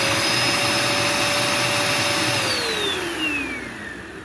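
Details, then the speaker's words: Curbside-found Dirt Devil Endura Max UD70175 vacuum, testing pickup of dirt into the bin: steady high motor whine, unloaded and hollow with no pickup rush, then winds down; no suction at all, hose completely clogged. "well it did absolutely nothing this is how you can tell your hoes is completely clogged"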